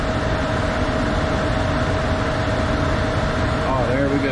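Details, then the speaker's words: Furnace with newly replaced blower motor: kicks on fast with a steady even hum, constant tone, no scraping or rattle; normal blower operation. "Kick right on real fast. Real nice. No more of that in the sound anymore. Smooth sound."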